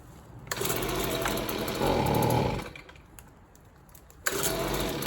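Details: Neighbor's free Stihl leaf blower, small two-stroke, after reassembly: bursts up for a couple of seconds, drops almost to nothing, then catches again; still running rough and uneven before carburetor adjustment.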